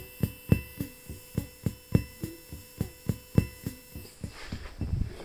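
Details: Behringer Murf box at full volume with a guitar plugged in: low, even thumps about every third of a second, in time with and changing with the pattern, leaking into the output even when turned down; owner suspects a noisy internal clock, tried two power supplies.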